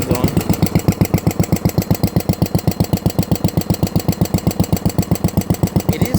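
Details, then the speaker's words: Tractor engine idling: hollow, steady knock about four per second that has gotten louder, loudest on the valve side, quieter on the generator side, not near the crankshaft; source not pinned down. "still that same hollowish kick it had before, but it is definitely gotten louder. And again, not really any noise by the crankshaft."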